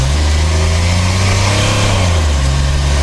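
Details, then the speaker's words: Barn-find Datsun 280Z off road 18 years, after new injectors and O-rings, driving: engine note climbs smoothly under throttle with no stumbles or misses; previous missing and poor acceleration fixed. "Oh, yeah, that seems good. Yeah, way good, way better acceleration."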